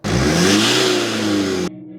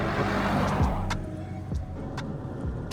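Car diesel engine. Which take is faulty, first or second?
first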